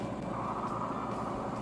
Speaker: Ayun, maririnig ninyo umaandar na po yung ating spin dryer machine.